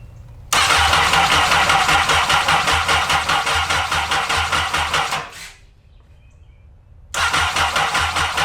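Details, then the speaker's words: Honda N600 with newly installed CBR1000RR engine, three bad fuses replaced, fuel pump primed by cycling key: rapid even cranking about two and a half bursts a second, twice, no firing; crank no start, no spark. "No spark. I don't see anything. I don't see anything. So, we have no ignition."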